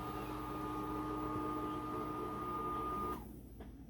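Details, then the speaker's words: Condensate pump, about 6 months old, on a new high-efficiency boiler, after thawing its frozen 3/8 vinyl line by the window at 25 below wind chill: steady, constant-tone pump hum, then a clean shutoff; normal. "That sounds a lot better. Mm-hmm. And the water's going down, feels like."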